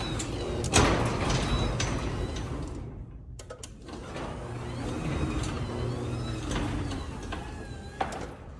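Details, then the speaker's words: Craftsman garage door opener after a latch and slide assembly repair: the motor drones, cuts out abruptly about 3 s in, then restarts and strains, stalling mid-travel and stopping higher each time. Owner suspects damaged internal gears; not confirmed. "Something's not quite right with it. It almost sounds like an internal gear has popped or something. think it might actually be internal to the machine now."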